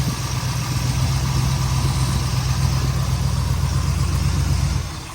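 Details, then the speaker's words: 1962 Corvette after hard-start repair, warmed up: fires straight away, settles into smooth even idle; fixed by lubricating distributor cam, ignition adjustment, corroded coil lead and wiring repairs; timing still to be adjusted when hot. "ignition key is on and uh it starts right up now"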